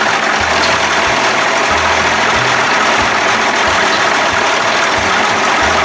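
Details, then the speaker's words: 1992 Johnson 60 hp outboard, warmed up, carbs at one and a half turns, settles into a steady, even, buzzy idle with no stumbles and is put in gear; smoking eases once warm. Sounds good, though it needs priming to start. "put in gears sounds pretty good so yeah you know backing off of priming it but it needs to be primed"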